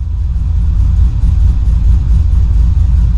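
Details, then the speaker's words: Cammed, rebuilt LS1 SS Commodore V8 on first modified tune, starting without throttle; deep steady rumble with rhythmic cam chop about two a second, idle about 850 rpm; normal cammed idle. "That's idling perfect. The idle looks like it's up to about 850-ish, according to the gauge."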